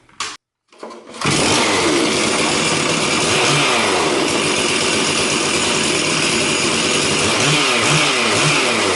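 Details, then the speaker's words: Stihl 046 Magnum chainsaw after rebuild for failed crankshaft bearing, carburetor untouched: fires after brief crank, holds loud high buzzing run with slight rise and fall; normal running. "I cranked it up you seem to pop pretty good sounds all right"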